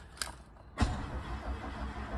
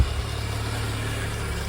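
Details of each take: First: VW MK2 Golf GTI 16v, unused for about six weeks, on a fresh battery after immobilizer trouble, fuel level unknown with no gauge reading. Keys rattle, then the starter churns steadily for about seven seconds with no firing. Cranks but will not start. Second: VW Golf Mk2 GTI 16v first start after sitting, fresh battery, foot gently off the throttle; steady even idle with smooth low hum, no knocks or misses, normal idle.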